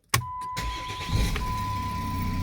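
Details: 2006 Jeep Commander 3.0L turbo diesel started after an oil pressure sensor replacement. A brief crank catches at once into a steady, even diesel idle under the dash chime, and the oil warning light is gone. A healthy start.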